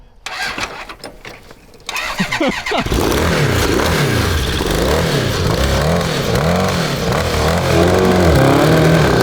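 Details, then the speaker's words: Cross kart with a Honda CB750 750cc engine after fresh 10W-40 oil and four new spark plugs. It catches and revs unevenly, stumbling and surging at low rpm but strong higher up; new plugs did not fix the rough running. "all right so it doesn't really want to run at low rpm but once you get it up there it's awesome sure we have some tweaking to do still"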